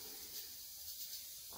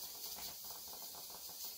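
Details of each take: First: Presto pressure canner on a gas burner, targeted at 11 psi, climbing to 12 psi. Continuous sharp steam hiss from the regulator with a few short surges as it runs slightly over pressure, while the heat is turned down to hold it just under 12. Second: Presto pressure canner on a gas burner, holding steady pressure with the gauge needle not moving. A steady, even hiss of escaping steam with no sputtering or surging; normal, ideal steady pressure.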